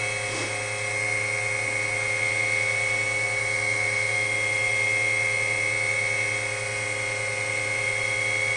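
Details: WWII-era RT-7/APN-1 radar altimeter switched on in lab: dynamotor producing high voltage gives a steady, even high-pitched whine with low hum underneath as current settles and tubes warm up; normal, smooth dynamotor whine.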